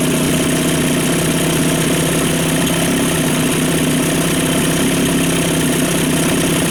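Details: Single-cylinder two-stroke outboard at idle after carb cleaning, new fuel pump, fresh fuel mix and idle air bleed screw at factory setting: steady, even idle with no stumbling; previously would not idle, now smoothest ever.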